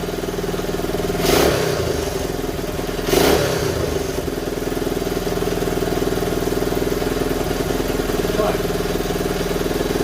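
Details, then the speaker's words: 1970 Honda Trail 90, previously non-running (previous owner said it overheated), just restarted: single-cylinder putters at fairly steady idle with brief throttle blips, producing a lot of white exhaust smoke; owner unsure whether it's just burn-off. "I don't know if it's burn off or might be No a lot of white smoke right now"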